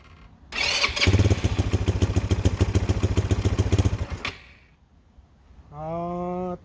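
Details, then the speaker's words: Cheap Chinese ATV just revived: engine fires and chugs unevenly at a fast lumpy beat only while the throttle is held, then dies; won't idle, owner suspects the carburetor needs work. "I'm having to hold the throttle in just to keep it running."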